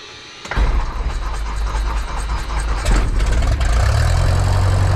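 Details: Light aircraft engine restart after the pilot found he had turned the fuel selector off (engine died twice) and reset it; throttle open 1/4 inch, primed. Engine fires at about half a second into a strong, even, steady drone; normal start and running.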